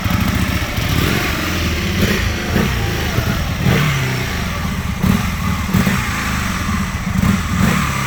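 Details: 2001 Aprilia Futura, in winter 2021, struggling to idle: uneven, lumpy idle with revs dipping and surging, kept alive by throttle blips; rough idle of unclear cause that was never fully fixed.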